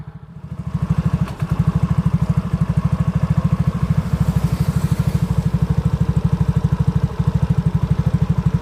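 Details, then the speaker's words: Yamaha Mio GT scooter after CVT repair, with rollers, slider pieces, rear gear oil and chipped belt-drive parts replaced: even, steady low idle at about three beats a second. The earlier CVT klotok clatter is gone. "Coba kita Nyalakan lagi motornya [Musik] [Musik] [Tepuk tangan] [Musik] sudah tidak terjadi suara kelapak seperti tadi"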